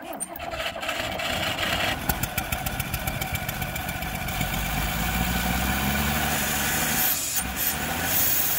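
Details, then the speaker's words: 1960 Rambler American 196 flathead six, sitting since about 1983: cranks, catches at about two seconds and putters unevenly on gas poured into the carburettor. The fuel pump delivers no fuel; its actuator appears not to be moving the diaphragm. "so messing with the rambler a bit i discovered that i'm not getting any fuel coming out of the fuel pump so i kind of looked at a little bit and it appears like the actuator isn't moving the diaphragm up and down"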